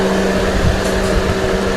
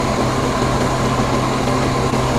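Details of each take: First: 2015 Mercedes-Benz GLK with the AC on and the hood open. A steady, loud, airplane-like rushing roar with a constant hum, audible even with just the door open. The customer complained the radiator cooling fan keeps running too high. Fan running too fast. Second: 2015 Mercedes-Benz GLK with a complaint that the cooling fan blows too high. Engine running with the AC on: a moderate, steady fan rush with no surge to high speed, so the fan is running normally.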